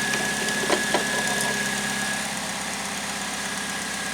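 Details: 2008 Pontiac G6 2.4L EcoTec after replacing the variable valve timing solenoid for code P0013, with fresh oil and antifreeze; check engine light off. Steady, even idle with a faint high tone, no rising or falling pitch; healthy.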